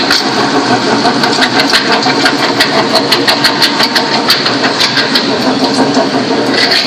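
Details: Toyota Sequoia 4.7 V8 running with sharp, fast ticking about three per second and a high metallic edge; worn idler pulley in the fan bracket, not the timing-belt-driven water pump.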